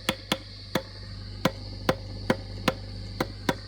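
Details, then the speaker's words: Old Fender Princeton Reverb, back cover off, brought in for squealing and feedback: each sharp tap on the preamp-one tube rings through the speaker as a short metallic ping, about two a second. This is a microphonic preamp tube, to be replaced to finish the repair. "let's fix up the microphonics in this tube here preamp one and i think this amp will be done"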